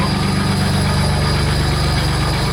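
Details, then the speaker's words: 2008 Land Rover Discovery 3 TDV6 under rebuild, running with no exhaust fitted: an even, steady diesel clatter at idle with a regular low thump and no knocks, sounding healthy. "That's how you would like to have it sounding, right? But that's without an exhaust."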